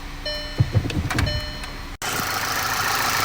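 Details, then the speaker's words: 2009 VW CC 2.0T, after replacing PCV valve with broken seal that caused fluctuating idle, whistling and codes P0507, 2015, 2187: dash chimes and clicks, then steady even idle with no whistle. "then they're start the car back up and you can see perfect idle"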